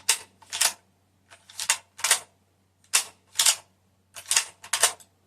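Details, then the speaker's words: Mosin rifle bolt cycled for comparison with owner's Kar98k Mauser; crisp paired metallic clicks, three cycles about a second apart, no grinding or catching; so much smoother than the Mauser. "that is so so much smoother"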